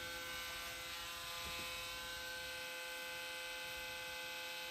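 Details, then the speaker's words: KitchenAid 5KHB2569 hand blender after resettable fuse replacement, setting 4, about 65–70 W: smooth constant high motor whine at one pitch, no rattle, grinding or surging, no burning smell; runs healthy. "Oh, sounds good. No smell. Very well."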